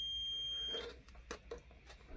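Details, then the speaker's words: Korad KA3305D bench power supply, channel 2 failed while charging a 12V lead-acid battery: multimeter diode test beeps briefly then light clicks, reading far below the expected 511 millivolts, suggesting a possibly shorted part. "that's obviously not what it's supposed to be reading that's far from 511 millivolts"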